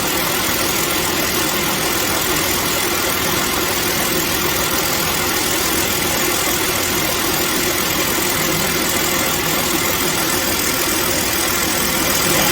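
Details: Car idling after replacing the belt, thermostat, radiator and water pump: faint, soft repeating thud once per belt turn under the running noise, owner unaware; caused by an uneven thick spot at the new drive belt joint.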